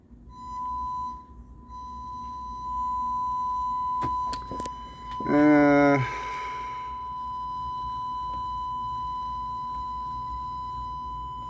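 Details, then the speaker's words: JVC A-X40 integrated amplifier (50 W per channel, thrift-store find) before restoration, sine test tone on left channel: rough, buzzy, scratchy output that cleans up slightly as volume rises; distortion in the amplifier, cause unconfirmed. "It does clean up a bit as the volume control goes up, but there's some definite scratchiness,"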